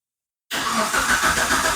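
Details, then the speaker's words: Old Proton Persona with hard starting and erratic RPM; scan shows camshaft missing, and a replaced camshaft sensor did not help: catches after a pause, then an uneven, raised, hunting idle. Hard starting with erratic high idle, blamed on crankshaft position sensor. "Kita akan start. 1 susah mau hidup, kedua RPM jadi gila."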